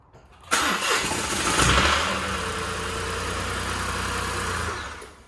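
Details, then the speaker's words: 2020 Mini salvage rebuild on its first start: engine cranks and catches, runs unevenly for a couple of seconds, then settles to a steadier idle; rough at first, cause unknown. "Yeah, sounded a bit rough at first, but That's all we wanted to do."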